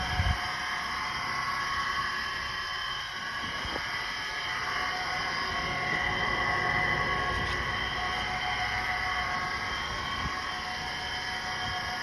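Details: 2014 Chevy Sonic with a steady high whine held over the engine's running noise and no knocking, identified as a bad alternator.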